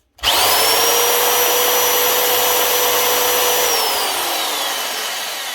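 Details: Old, hardly used Hitachi DV20V2 240V corded impact drill: steady high-pitched motor whine at constant speed, smooth and even, then winding down; normal drill running.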